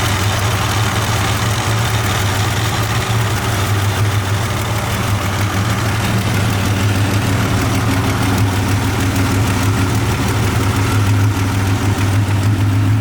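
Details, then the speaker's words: 1987 Buick Grand National turbo, 97,216 miles, idling with A/C on at about 90 degrees, exhaust cutouts closed, Super Turbo mufflers: deep steady even rumble, no misses or knocking; idles fine. "Cutouts closed. Super turbo mufflers, try to keep it quiet."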